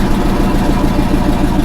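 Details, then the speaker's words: Chevy squarebody V8 after an oil change: deep loud idle with an uneven, stumbling beat, a big misfire; owner suspects timing is way off, plugs not yet done, cause unconfirmed. "I'm sure that timing is way off definitely a big Mis going on here sounds like the cam that wasn't there"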